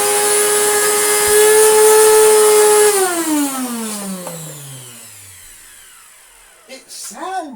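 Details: Panasonic MC-E465 bagged upright vacuum after refurbishment, fitted with the motor from another Panasonic and run with no belt after damp shed storage. A harsh high whine with a buzzy edge unloaded, winding down smoothly after switch-off; rough noisy motor, cause unconfirmed.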